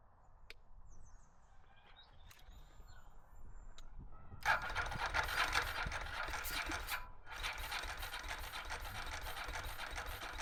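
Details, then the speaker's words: Ducati 916 Biposto, 13,800 km, laid up 15 years; try on a recharged jump pack, fuel pump sounding primed, spark confirmed. The starter churns at about four beats a second, pauses, cranks again, never catches: cranking, no start. "Uh not really what I anticipated or hope for, but can't say I didn't expect it a little bit to not quite work out or go to plan."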